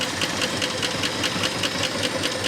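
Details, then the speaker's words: 1972 Ford F250 4x4 Highboy, sat over 15 years, first start with oil pressure but little radiator water: steady idle with light fast even ticking about five per second; top-end noise, cause not pinned down. "There's a little bit of noise, but it does run."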